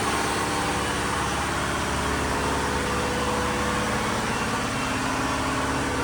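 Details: Diesel fire pump engine on weekly half-hour test, isolation valve closed, with a loud, steady drone holding even speed and no knocks or misses; running normally.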